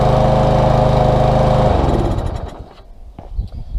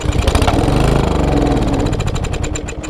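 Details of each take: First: Small engine stored September to June, wouldn't start; after cleaning the varnished carburetor jet with carburetor cleaner and compressed air. Runs steady and even under two seconds, then winds down to handling noises; normal running. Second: Small engine with ethanol-treated fuel, half a tank, stored since last fall, air cleaner off: fires and runs unevenly a few seconds then fades out. It has spark and air, so fuel is suspected, likely a plugged carburetor jet; cleaning the carburetor is the planned fix.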